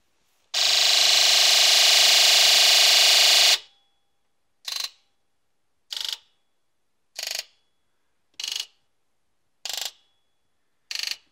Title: Buzz test after injector 1# fix